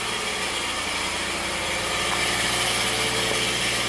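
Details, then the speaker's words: Subaru after new exhaust valves, first start: fast dense metallic rattle over idle like loose sheet metal near exhaust; probably heat shield rattling, unconfirmed. "not too bad probably a heat shield rattling or something"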